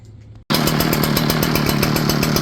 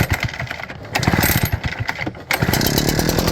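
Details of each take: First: Echo PB8010T backpack blower with ethanol-damaged original carburetor: catches abruptly, then raspy, uneven, pulsing two-stroke drone; runs until warm then bogs badly and runs rough, cut off hot and wouldn't restart; fuel filter already replaced. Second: Echo PB8010T backpack blower after replacing the ethanol-corroded carburetor: primed and choked, catches after a couple of pulls and settles into a fast, even two-stroke buzz; previously wouldn't crank, now running fine.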